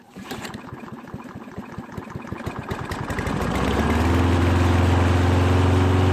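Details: Toro lawn mower after its clogged carburettor jet was cleared of debris from a bad tank of gas: slow pull-start chuffs catch at about four seconds and settle into a smooth, steady run.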